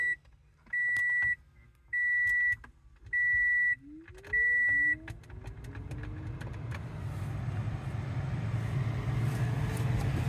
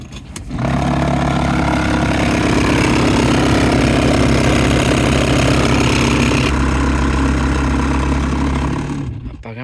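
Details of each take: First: 2018 Toyota Sienna after replacing grinding blower motor: four chimes, then blower spins up to a smooth steady rush of air with no rattle or grinding; noise gone. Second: 2018 Toyota Sienna cabin blower motor, noisy when the A/C is on, runs with a loud, rough grinding hum and a steady low drone, then shuts off; the mechanic suspects something fell into the fan wheel.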